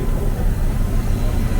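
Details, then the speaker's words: Abandoned International Loadstar dump truck gas engine, ice cold, choke pushed fully in: deep, even low idle rumble with no knocks or misses, smooth as a sewing machine; exhaust smells, previously run on bad gas with nasty oil. "They're just freaking bomb proof, dude. Thing just sitting here running like a friggin' sewing machine."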